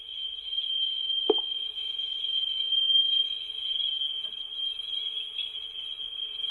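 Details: Vintage Mayfair tape recorder playing a test tone, measured at 4% then 1% sensitivity: about 0.34% RMS, 0.7% peak, with a few spikes. The tone holds steady with slight wavering and one brief knock; low flutter.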